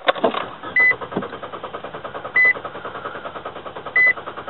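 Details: 2008 Nissan Versa sedan, choppy uneven pulses as it cranks and struggles to settle, chime beeping every second and a half; intermittent rough start from faulty fuel pressure regulator, before replacement.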